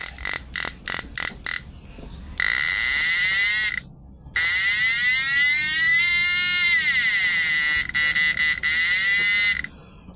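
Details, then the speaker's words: Repaired PDC 4-FET mini stun inverter with replaced PWM, load test in standard frequency mode: loud shrill buzz in on-off bursts, then a long pitch-bending tone from the air-core inductor coil fitted with a buzzer; normal operation. "ini di apa di gulungan induktor inti udara ini sudah ada bazernya ya jadi suaranya kencang ya guys mode standar"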